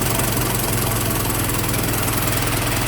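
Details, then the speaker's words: 1915 Ford Model T Roadster four-cylinder, hand-cranked, warming up, throttle backed off: steady even low chuffing idle, no misses, knocks or rattles; smooth-running, normal idle. "it's been a very nice, smooth running little T."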